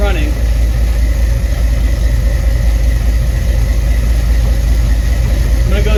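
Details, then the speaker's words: 1975 Ford F-100 V8 (about 50 years old) idling with the pressure gauge not moving; deep, steady, even rumble with no stumbles or misses, running smoother than before; normal idle. "It's been running for about 10 15 minutes and has not moved at all. But the truck is running smoother than i"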